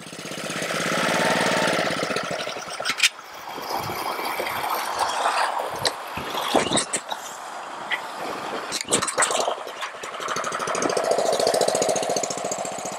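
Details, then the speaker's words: Honda-powered Ryobi 3100 PSI 2.5 GPM pressure washer that wouldn't stay running: it runs raggedly as the choke is slowly taken off, the note swelling and dropping with brief stumbles; a carburetor issue is suspected. "all right now it's a little better i'm slowly increasing well i'm taking off the choke i was getting a little bit better"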